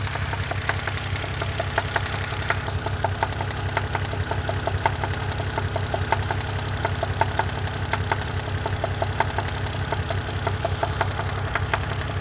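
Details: 2011 BMW 328 with N52 engine at 148K miles, idling: a sharp, regular knock a little under once a second over a steady idle; owner suspects rod knock, unconfirmed.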